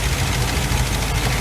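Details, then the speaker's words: 1986 GMC Sierra 400 small-block V8 at idle during valve adjustment after a new distributor, deep even idle with faint light ticking; rocker nuts backed off until lifters tap, then tightened until quiet plus a quarter turn. "basically with it running you loosen them up until they start tapping tighten them up till they shut up and then go quarter turn"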